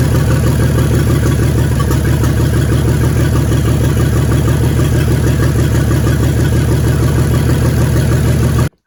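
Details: 1942 Chevrolet G506 truck after water pump swap: heavy low drone at fast idle with uneven lumpy beat; ignition miss, plug-wire pull test finds two dead cylinders though both plugs spark.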